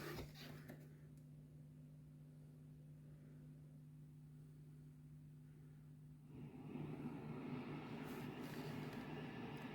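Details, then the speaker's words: EVH 5150 III guitar amp, recorded at input/output from the back with noise gate off: low steady mains hum then soft even hiss; noise comes from the first preamp stages, and the noise gate cuts it. "so the noise conclusion is that the noise is coming from from the first stages of the this model and the Noise Gate can cut all this noise"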